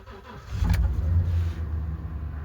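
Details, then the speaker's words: 2014 Ford F-250 6.2 with half the power distribution box dead from corrosion, started in the cold with jumper power across the box: the starter cranks briefly, then it catches and settles to a steady low rumble; it runs, but is not fixed. "it's alive she runs it's definitely not fixed but now I can take this someplace warm and do a proper Diagnostics and repair"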